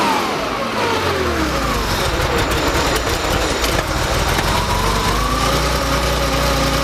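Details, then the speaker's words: Freshly rebuilt Porsche engine with CIS fuel injection, first start after fuel distributor and warm-up regulator repair, before mixture reset: catches and settles into a steady, slightly uneven idle with smooth exhaust rumble; running fine. "so now when i started i'm not going to do anything in particular just going to kind of crank it up warm it up and set my reset my fuel mixtures and i expect it to be running fairly well"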